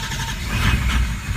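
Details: 2004 Powerstroke diesel truck with a long crank when cold. The injection pressure regulator maxes out, but low-pressure oil is slow to build at first. A cranking rumble swells into uneven low firing as the cold diesel finally lights; a slow, reluctant cold start.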